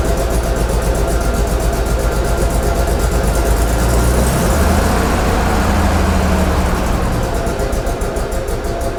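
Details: Flood-damaged Corvair first start on custom fuel injection: loud, uneven idle that lumps and wavers, barely staying lit; too much startup fuel, fixed by reducing fuel and warm-up taper.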